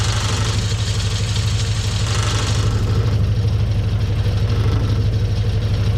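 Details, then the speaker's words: Frogeye Sprite warm idle after tuning: timing adjusted a couple of degrees by ear, new coil fitted for a misfire, which seems cured; steady even beat about three pulses a second, no stumbles, running clean. "that sounds happy well we've battled the frog eye we've done a bit of tuning on the engine"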